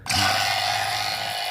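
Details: 2014 Silverado AC repair after replacing the leaking compressor discharge hose: the vacuum pump spins up instantly to a steady high whir with an even buzz, no rattle or grinding, while evacuating the system; running properly.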